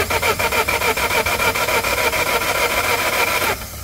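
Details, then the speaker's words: Citroen Dispatch 2.0 (possibly AHK) crank no-start with fault code P11A2: starter spins engine quickly and evenly at three to four beats a second but it never catches; no crank/cam RPM synchronization, timing belt snapped. "looks like a timing belt on this engine is snapped to my man I think you're gonna have a timing belt issue but no RPM or no synchronization with the engine is turnover"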